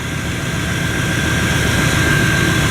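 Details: Idle after fixing leaking fuel-line quick-connect O-rings, confirmed with no leak; loud, smooth and steady with a faint constant whine over it, no knocking or stumbling, so the engine runs fine (owner notes leaking injectors, Bosch 3s).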